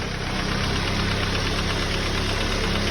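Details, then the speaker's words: Ford Focus petrol engine idling with a fast, knock-like rattle caused by loose debris bouncing inside the intake manifold, not engine knock. "what should I do not the time your car is not knocking so I wouldn't worry about uh wow if you have this type of focus just like this telling all the ghost out right here to open the clocks inside here now they're bouncing inside of your car inside this manifold right here"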